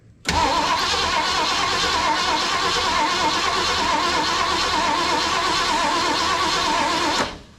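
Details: 1974 Ford Bronco, not started in over 16 years, now with fuel and key on: even steady cranking about seven seconds, no firing; a small fuel leak was then noticed at the filter.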